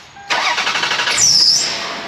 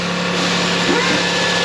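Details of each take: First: Older Toyota Highlander after an exhaust leak was patched with muffler cement: quick crank, clean catch, then a quiet even idle with no puffing or spitting from the exhaust; normal idle. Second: Older Toyota Highlander at idle after O2 sensor repair: sharp puffing hiss over the exhaust note from a screwdriver-sized hole in the pipe beside the oxygen sensor, flex pipe or manifold also suspected; exhaust leak.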